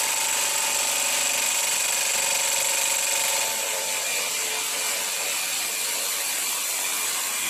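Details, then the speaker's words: Cheap variable-speed multi-function jigsaw cutting 2 mm mild steel at low speed, heater fan in background: buzzy high whir with rattle dropping in pitch as the motor bogs down and slows under load. "you can hear it bog down and slow down it does that when i got given it"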